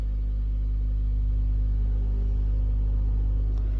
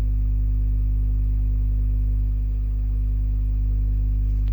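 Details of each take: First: DIY 12-inch passive speaker driven by a 12V DC power amplifier, volume raised slowly toward maximum: a deep, steady, unchanging low hum through the speaker. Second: DIY 12-inch speaker on a 12V DC amplifier with the volume pot opened up: a steady deep low tone with no crackle or rasp, so the output is clean and not yet distorting.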